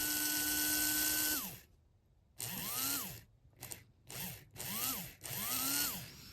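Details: HO scale brass Union Pacific FEF-3 4-8-4 #840 model locomotive, tender power lead touched to the base: small motor whines up and down in short bursts at each contact, tone clean and even. Normal motor run.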